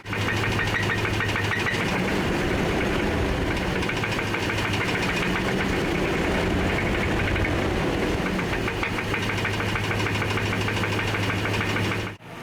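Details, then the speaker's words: 2007 Dodge Ram 5.7L Hemi V8 at idle; deep, steady knock about three beats a second from the bottom of the engine, briefly fading on a light rev then returning at idle; suspected textbook rod knock rather than lifter tick. "It sounds like it's from the bottom of the engine. That sounds like textbook rod knock."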